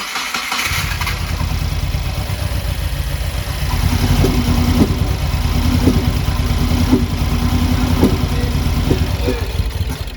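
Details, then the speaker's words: Subaru WRX FA20DIT engine just after rebuild, tune loaded: cranks with rough uneven rumble and sharp pops about once a second, never catching; backfiring through the intake rather than exhaust. "huh well you know what's interesting is we're actually getting pops in the intake as opposed to the exhaust this car is definitely not happy"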